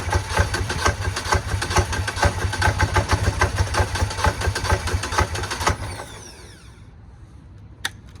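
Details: Lumpy, uneven idle pulsing about twice a second before the engine dies out, on a hard-starting engine; rough running, cause still unknown.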